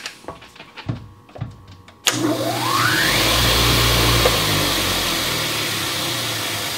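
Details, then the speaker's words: Old polisher/grinder motor, first run after rewiring: a few knocks, then the motor kicks on, its whine climbing as it spins up in the correct direction and settling into a smooth run with no vibrations. "it's spinning the right way the first time yay and it works this is going to be good sounds good doesn't it no vibrations"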